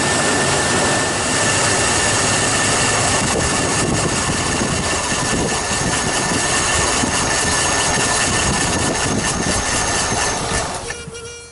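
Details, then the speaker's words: Ford F250 7.5 L 460 V8 after fuel injector cleaning: idles with an uneven, stumbling beat under a loud hiss, roughly two hundred lumps a minute; misfire persists, injectors ruled out, owner suspects old spark plug wires. "That's so cool. And there she is purring. Now I still have a miss, so I know that my injectors are not the issue."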